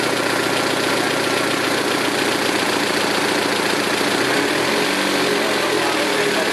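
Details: 2006 Saturn Ion Redline with GMR cams and stock lifters: quick light valve lifter tick over a steady idle; owner concludes solid lifters are needed.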